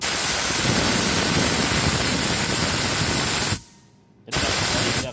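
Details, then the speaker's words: Pneumatic roller-lever limit switch valve with its compressor supply connected reversed gives a loud, steady rush of escaping air that pauses briefly, then resumes. This is an air leak hiss caused by wrong port installation. "Jadi kalau misal ini kebalik, maka akan ada suara."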